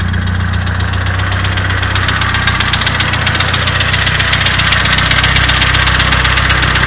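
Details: Nissan SR20DET engine at loud steady idle with a regular knock almost four a second over the engine note; engine knocking, cause not yet pinned down.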